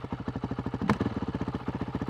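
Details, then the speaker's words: Honda CRF450L/RL single-cylinder with Athena GET ECU, after stalling in blip test; thumping at about twelve beats a second, mostly even with slight wavering; idle sits a bit low and won't smooth out, TPS already checked. "yeah for some reason I can't I can't smooth my idol out you can hear it it's idling a little lower than it should be"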